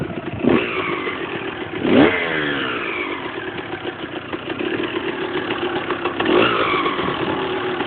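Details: Husqvarna SM 125 two-stroke idling with a rattly metallic clatter and sharp throttle blips; loose nut on the crankshaft.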